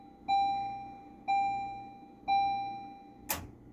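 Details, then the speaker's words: Stern Electronics Big Game pinball machine, first power-on in six years of ownership after head install: three clean chime tones about a second apart then a short click; sound system starts normally, attract mode running. "okay we have sound we have attract mode what about displays"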